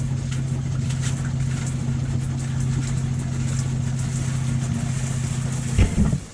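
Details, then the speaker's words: Motorhome water pump first use after winter, tap turned to hot: steady low electric pump hum with faint spitting from the tap as trapped air is expelled; normal pump priming, air purging. "So turn it to hot. Turn it on. So that's now expelling the air."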